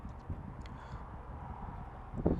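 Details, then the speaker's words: Audi e-tron 55 at an Ionity fast charger in cold weather: quick run of dull relay clicks as charging starts, with blinking white lights; a normal charge start. "okay we can hear the clicking sound of the relays here on the charger which is always a good sign blinking white lights there"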